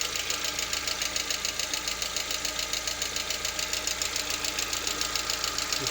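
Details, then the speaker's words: Lada Vesta, 64,000 km, idle partly warm around 50 °C: sharp, even tick-knock about two per second; knock absent fully cold and gone at operating temperature, cause unclear. "Что случилось, вот непонятно. По мере прогрева проходит."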